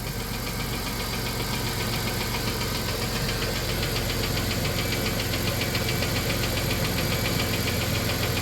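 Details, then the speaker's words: 1993 Plymouth Grand Voyager SE, revived after 18 years parked: steady fast ticking at idle from a top-end lifter; owner suspects stuck lifter plunger rather than lifter seized in bore, trying thicker oil. "we're trying to decide if the lifter is seized in the bore or if it's the plunger in the lifter that's stuck"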